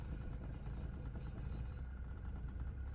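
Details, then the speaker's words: Mercedes 240D diesel junkyard car last registered in 2017, just revived: steady even idle clatter with no misses or knocks, holding smoothly as it's put in gear and moves forward and reverse; healthy. "I don't see anything leaking, no strange noises. I'm genuinely impressed."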